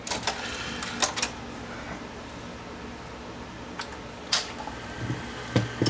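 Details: Sony VO5800 3/4-inch U-matic VTR with a tape-loading fault, elevator plugged back in, tape inserted: soft whirring with scattered clicks and clunks as the cassette lifts and threads smoothly; normal tape loading.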